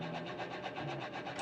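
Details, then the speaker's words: Left automatic folding side mirror, button pressed. The motor gives a short, even buzzing whirr with no grinding, folding and unfolding normally; the right mirror's internal lock is broken. "Left സൈഡത്തെ ഞാൻ നേരത്തെ പറഞ്ഞ പോലെ തന്നെ ഇതാ fold ആകുന്നുണ്ട്. ഞാൻ button ഞെക്കുന്നുണ്ട്."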